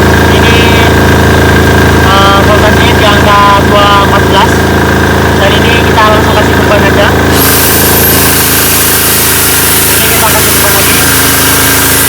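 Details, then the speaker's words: Repaired Potenza generator, custom 220 V AC, slightly smoky at start, loaded with a 1,500 W appliance and an about 600 W one (over 2,000 W): steady even drone, no bogging or hunting; voltage 216 V, normal. "Keduanya sedang berjalan sekarang, Bos. Sekarang tegangannya 216, itu bagus. Melihat? Itu normal, Bos."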